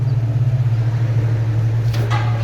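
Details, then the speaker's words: Subaru Outback 3.6R, 260k miles, with new mufflers (Walker Quiet Flow on the left, OEM Subaru on the right): low, steady, even exhaust hum at idle with no puffing, ticking or rasp; normal quiet exhaust, no leak. "quiet they're both quiet so the walker is pretty quiet that thing is a quiet muffler"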